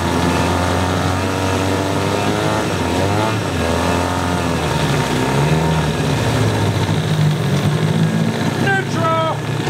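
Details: Yamaha 9.9 two-stroke outboard, salty and abused, after clearing a plugged passage and fixing the no-shift problem: even buzz rising and settling with throttle, no misfire; runs, shifts and pees, slight spitting from the carb, needs adjusting with air silencer on.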